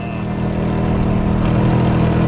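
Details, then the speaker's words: Honda Helix scooter on a Brighton-to-Milan ride, spluttering and coughing for half an hour: loud, raspy, lawnmower-like note that gets rougher as revs climb; cause not yet clear. "are 2 minutes away from accommodation and the Honda does not sound healthy. It's been coughing and spluttering for the last half an hour. I don't know if you can hear that, but it sounds like a lawnmower now."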